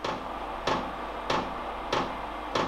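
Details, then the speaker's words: Cheap Chinese parking heater at 10 °C, 11.6 V: its fuel dosing pump ticks crisply about every 0.63 s, roughly 95 per minute, while priming with the fuel line still empty; normal pump priming. "Das ist die Pumpe für den Kraftstoff."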